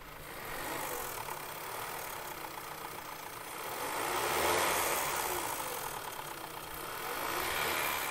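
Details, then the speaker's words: Engine blipped to about 2000 rpm: it swells and falls with a light metallic rattle on top. The suspected cause is an old-style timing chain tensioner letting the chain slap (pre-2012–2014 update); a crankcase vent vacuum leak is also suspected. "And that rattling could be the chain slapping around in there. And it just hadn't given up yet."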